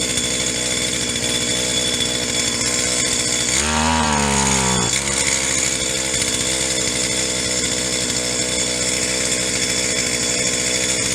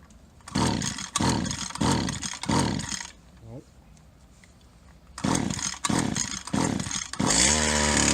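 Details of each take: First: Stihl HL 75K two-stroke single-cylinder hedge trimmer after new parts and priming, choke off: high buzzy note dips briefly then holds even, no longer flooding; high-speed mixture circuit suspected plugged. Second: Old Stihl HL 75K two-stroke hedge trimmer right after fitting a new carburetor: sharp revs in short bursts, then settles to a fast, busy idle; idle speed set too high, needs carb adjuster screws turned.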